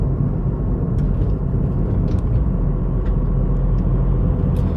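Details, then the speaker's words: Tata Tigor BS6 three-cylinder petrol engine heard inside the cabin at 2000 rpm in third gear, 38 km/h, AC off; steady low even rumble with no knocks or whine, normal. "i'm touching 2000 rpm moving in third gear 38 kilometer per hour the ac is turned off this is what the sound you'll get inside the cabin"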